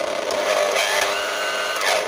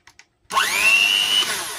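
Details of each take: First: Bolde Super Mix Turbo hand mixer, dirty and greasy, run on 220 V before teardown: harsh, gritty, uneven whir in two bursts; burnt armature, worn brushes and worn gearbox. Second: Bolde Super Mix Turbo mixer after motor and gearbox repair and switch cleaning, on 220 V, run through speeds 1 to 5 and turbo: rising whine settling into a steady, even hum, no rattle or burning smell; running normally.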